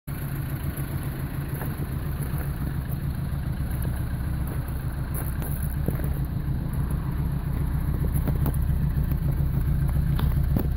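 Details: 1985 Toyota Starlet with 1.0 L 1E engine, all original parts: uneven, stumbling idle with irregular low thumps breaking the rhythm; a misfire, cause not yet pinned down.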